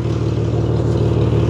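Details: Ford station wagon from a scrap yard, idling: steady low engine rumble with a faint rapid puffing chuff on top. Exhaust leak at the front of the muffler, where an old muffler-putty repair has failed.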